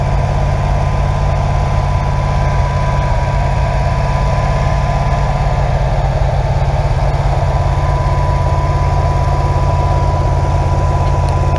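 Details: Rebuilt SBC 350ci 300hp V8, original engine from a 1970 Nova, first start after rebuild: deep, steady burble at a settled idle with even pulses and no knocks or ticks; sounds healthy.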